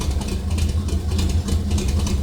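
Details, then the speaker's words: Stock Chevy 305 small-block V8 in A-Team van at idle with stock 1.5-ratio rockers, before swapping 1.6s onto exhaust valves: deep, even burble with steady low lope, no knocks or ticks; normal idle. "This sounds okay, but I'd like it to sound a little bit more radical."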